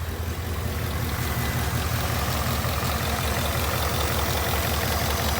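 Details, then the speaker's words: 2019 Ford Mustang GT V8 at idle: a faint, fairly regular low knock at about three beats a second. The owner believes it is not direct-injection tick; the cause is undetermined and is to be logged and sent to the tuner. "you hear that there's a knocking noise"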